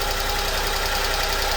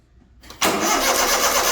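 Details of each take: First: Honda Acty after valve cover gasket and distributor O-ring replacement caused no-start: fixed by reinstalling distributor rotated 180 degrees; even steady idle with regular low pulse, no misses; normal idle. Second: Honda Acty after valve cover gasket and distributor O-ring replacement, spark confirmed with a test light: steady cranking at about three beats a second for three seconds, never catching; distributor suspected 180 degrees out, to be flipped.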